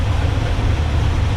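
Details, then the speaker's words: Chevy C10 small-block 350 with a four-barrel carburetor, idle mixture screw turned fully in: slowed, lumpy, uneven lean idle. "as I turn this one in you hear it slow down actually if we turn it all the way in you can really hear it it's not happy with that"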